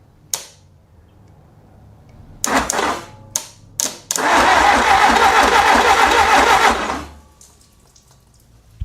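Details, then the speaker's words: 1957 Willys FC-150 engine with the starter powered through a solenoid-to-ignition lead and mystery oil in the cylinders: a few test bumps, then about three seconds of steady, even cranking with no grinding; it turns over freely. "we got a lot more turnage happening. So, I'm liking that a lot better. So, I've cranked it over a couple times. Everything's turning right."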